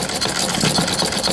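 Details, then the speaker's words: Olds (Michigan) model hit-and-miss single-cylinder engine: quick even mechanical clatter, skipping many revolutions between firings as the governor holds exhaust valve open until power is demanded; running normally. "it's a hit and miss engine you can hear there's many revolutions that it don't fire and all of that is control by a governor down there"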